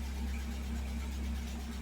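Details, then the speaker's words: 1979 Fiat idling after a new fuel pump and relay, judged a major improvement. Quiet, smooth low rumble holding a steady idle with no stumble or ticking: normal, healthy idle. "Major improvement. That sounds so much better. The startup was so nice."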